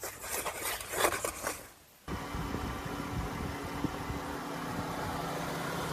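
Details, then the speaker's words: 2013 Chrysler Town and Country after power steering reservoir replacement, flush with Mopar ATF+4 and bleeding: brief crank, then an even idle with a faint steady hum and no pump whine; slight initial noise until fluid circulates; steering quiet. "so when we fire that up we heard a little bit of noise initially and you're going to hear that until the fluid goes through the system"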